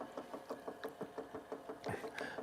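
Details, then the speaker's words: Motor shaft end play in a model train locomotive on a layout: light, even clicking about six per second with the motor's rotation as the shaft knocks back and forth. Repeated attempts to tighten the shaft failed; a new motor may be needed. "there is some play there's some definitely in that motor I've had it all parked several times trying to get that shaft tightened up but there's really not much I can do"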